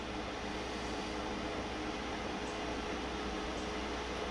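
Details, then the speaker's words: Newly installed Webasto Air Top 2000 STC gasoline heater in a ProMaster van, running after a successful second start; steady even air rush with faint constant hum, fan on full, now blowing warm air; burning smell traced to exhaust, probably through an open window. "Woohoo! Yep, it's pumping out warm air."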